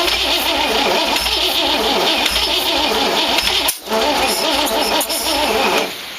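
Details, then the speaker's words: 1914 Dodge Brothers rat rod with a 1962 Oldsmobile 392 V8 and Hydro. The starter turns it over steadily for several seconds but it never catches; firing order wired clockwise though the distributor turns counterclockwise. "i was kind of hoping it would start but no cigar well bonehead mistake i put the firing order on here clockwise full forward hangover distributor turns counter clockwise"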